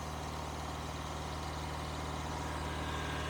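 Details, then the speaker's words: Engine with a high idle issue: fast, steady idle with a firm low hum and no drop or stumble. Pinching off vacuum hoses changes nothing and no vacuum leaks are heard; cause not found. "so I guess if I just pinch off random hoses you know I should be able to notice if there's any change in the idle and I'm not noticing anything from doing any of them"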